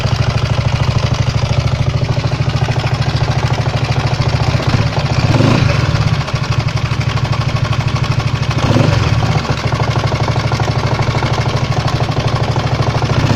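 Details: 139QMB scooter single-cylinder engine idling with a steady but slightly uneven knock about three per second; knock appeared a few days ago while riding, cause unknown.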